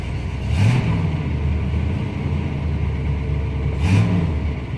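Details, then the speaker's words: 1967 Pontiac Bonneville V8, unrestored original, about 132,000 miles, accelerator stomped twice before starting: deep steady rumble with two quick rev blips rising and falling cleanly, no knocks; normal cold start and rev. "Oh, you better fire it up. If I don't start it, you guys will never know what it sounds like."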